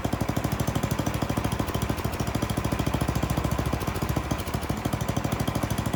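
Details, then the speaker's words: Troy-Bilt snowblower, Tecumseh 10 hp single, new carburetor: fast, uneven popping, hunting and stumbling as the high-speed mixture screw goes lean (ran badly), then too rich, then back in until it steadies. "I did the high end first. I leaned it out and it really started running bad. So I backed it back out and I kept backing it out until it actually ran too rich. And then I went back in again."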